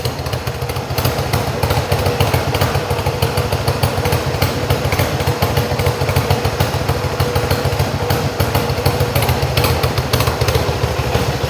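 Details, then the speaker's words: Yamaha XS1B twin after carbs rebuilt three times, airbox refitted, dead cylinder tune and throttle screws wound evenly for about 1000 rpm idle: steady, even idle, both cylinders firing cleanly, no stumble or hunting; normal idle. "Sounds good to me. I'm going to leave it there. You can fiddle endlessly."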